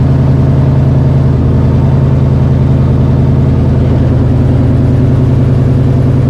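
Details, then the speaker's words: Cobra Daytona replica ("Aluminator") V8 at first start, with fuel pressure a little over 60. A deep, steady, slightly lumpy idle, possibly from a bigger cam, settling as rpm drops, with no knocks or misses. Normal idle. "rpm's dropping down okay looks good it sounds a little nastier than the roadster yeah it sounds nastier than the roadster"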